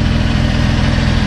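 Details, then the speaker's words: 2008 Saturn Aura 3.6L V6, 137,000 miles, after oil-pan work to cure rod knock, idling while warming up on a half-dead battery: smooth, even low rumble with no ticking or knocking, no leaks; bottom end sounds healthy. "and i don't hear any funny noises that's the best part"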